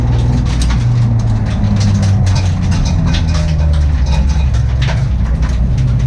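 Loud low engine rumble with an uneven, stumbling beat and irregular dropouts instead of a smooth rhythm, typical of a misfiring cylinder.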